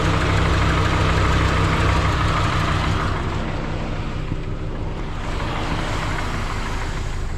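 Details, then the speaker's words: 2003 Subaru Forester engine just installed, first start, cold weather, no coolant: heavy low rumble with uneven lumpy beat about three pulses a second, idling rough; owner attributes it to the check engine light and an open vent. "it didn't sound like it was running the best but that's because that check engine light and that open venti"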